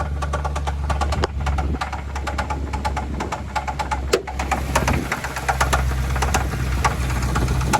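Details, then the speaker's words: Car engine with rapid, sharp ticking over a rough idle that grows louder and quicker as it is revved. The car is losing power; the owner suspects a worn camshaft, but this is unconfirmed. "see it's like losing power it's time to get that replaced but it sounds really bad it gets louder as you get up here"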